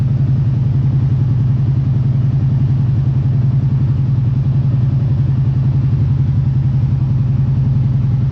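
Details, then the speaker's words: Kawasaki Brute Force ATV idling after the cleaned spark arrestor is reinstalled. Even, deep thumping idle with no clatter, sounding about the same as without the arrestor. Normal idle. "there you go I don't know if it's a big difference it all sounds pretty much the same"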